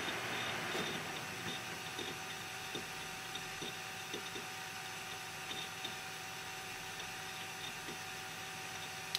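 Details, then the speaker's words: Budget quiet PC (i5 quad-core, Arctic Cooling Freezer i30 CO heatpipe cooler, CoolerMaster foam-lined case) with fans on PWM controller's lowest setting: very soft, even fan hush with faint occasional ticks; about 10 dB quieter than highest setting. "is the lower state now and it will also try to switch it to the highest now yeah there is a 10 decibel something difference between the lowest and the highest setting of my pbm control device"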